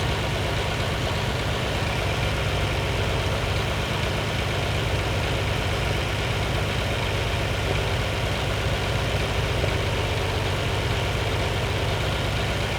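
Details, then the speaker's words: Lamborghini 350 GT V12 (chassis 109, sixth production Lamborghini) after restoration, idle mixtures just tuned cylinder by cylinder to optimum, before first road test since rebuild: even, steady, smooth idle with no missing or lumpy beats; normal idle. "and that is pretty lovely that's ready for a run clear it out be lovely"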